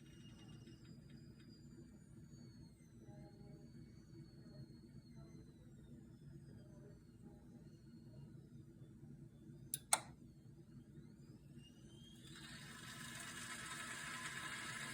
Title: Rocket apartamento hissing sound